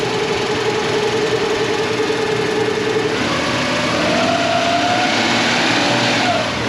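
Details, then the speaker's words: 2000 Nissan Pathfinder 3.3 just started after refilling oil, before coolant fill and AC recharge: steady, even idle hum with oil pressure, no knock, tick or uneven beat; normal healthy idle. "Here we go, you ready? Okay, it's alive. Got oil pressure."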